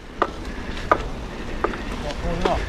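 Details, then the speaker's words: Mountain bike being moved by hand: four sharp, hollow knocks about every 0.7 s. Rider suspects the crank or a frame pivot; not confirmed. "Now you can hear it knocking. Move it. What the fuck is that? Something's not right."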